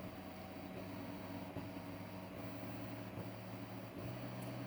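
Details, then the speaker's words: DMM DYN2 servo (57N-DHT-A6TD1 3Nm motor, 2000 pulses per revolution) on CNC axis, speed ramping toward 120 inches per minute; low even hum, faint steady tones, no roughness or hunting; quiet, smooth, jumps around far less on the table. "now notice how quiet this is that's that's the first thing that it's going to jump out at you also notice how much less this motor jumps around on the table"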